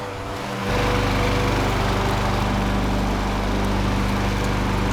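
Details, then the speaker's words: Curbside Craftsman mower (model 917.376655) with Briggs Quantum 122T02 engine, after repairs: catches first pull and settles into an even, steady buzz with no misses or surging; engine sounds good. "It starts consistently first pull. The engine sounds good."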